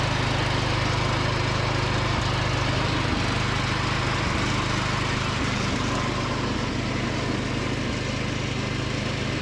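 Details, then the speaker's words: Free John Deere D110 riding mower after repair, driving with mowing deck engaged: small engine holds a steady, even beat, no misses or knocks; normal running under load. "But let's go ahead and crank it up and kick on the deck, drive it around a little bit, and show you guys how it performs, and we'll probably wrap it up from there."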